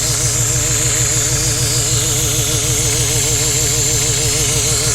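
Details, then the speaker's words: Supercharged Chevette OHC carburetted engine, about 1 bar boost, ignition set near zero/negative advance at idle: lumpy idle under loud hiss and whistle; air leaking from crushed carburettor fittings and leaking cover screws. "Tem uns grupos do carburador aqui que estão esmagados e estão cuspindo o ar, mano. Tem uma coisa vazando muito ar aqui."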